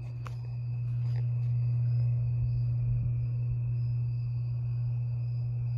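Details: 52-inch Harbor Breeze Lakeside II ceiling fan, polished brass, before restoration, running on low, its only working speed: the bad capacitor is cracked and slightly melted. Loud steady low electrical hum under the running fan; capacitor to be replaced.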